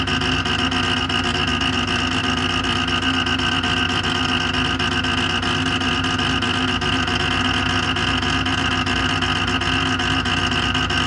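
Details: Creality Ender 5 Pro 3D printer on first use, Z axis forced toward bottom via override: loud unbroken buzzing grind with steady whine as Z motor drives bed hard against top stop near extruder; fixed by manually rotating Z down.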